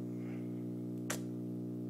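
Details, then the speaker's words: Steady low mains hum with a ladder of overtones from a Bang & Olufsen receiver, nothing connected; hum new since about last night; owner suspects grounding or something he did, cause unconfirmed. "I'm kind of annoyed this hum wasn't here before I'll tell you that it wasn't here until probably last night"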